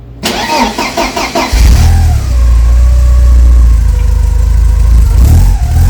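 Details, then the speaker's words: Porsche 944 after replacing the entire exhaust system, which had been damaged and pasted together: cranks, catches at once, settles into a deep even idle with no puffing or ticking; exhaust sounds sealed. "Well, it actually sounds like a real car now. And I don't think there's any leaks or anything. So I'm going to call that a win."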